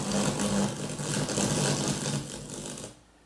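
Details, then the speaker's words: NAD 7020 receiver (same amp as NAD 3020) at power-on: harsh crackling, popping and buzzing caused by the worn mains power switch arcing across its two internal contacts. "okay so a lot of crackling and popping going on there it pretty much sounds like you're playing around with your children you can't get the station it's obviously and buzzing and all that kind of thing but it's actually the main switch arcing over the two contacts inside"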